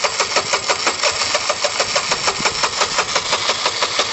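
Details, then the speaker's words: Chinese car engine on a start attempt: uneven choppy putter about five beats a second with lumpy idle, owner guesses it needs an engine rebuild; low compression. "my guess is this needs an engine rebuilt i mean we can keep yeah ultimately like i think we'll get it kind of started but then then what's going"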